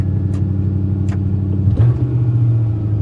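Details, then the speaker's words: 1995 Ford F-150 with an intermittent check engine light, after a short drive: steady, even drone held well above normal idle speed with no dip or hunting; idle set too high. "Listen to how high that idle is."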